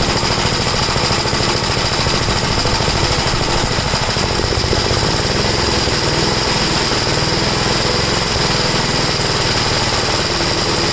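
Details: 1962 Gravely L/LI walk-behind tractor, single-cylinder, warmed up, after valve adjustment and with low compression readings (about 45): carburetor high-side adjusted; loud, fast, steady chatter with no misses or surging; leaning further stalls it, so left as is, seeming slightly rich.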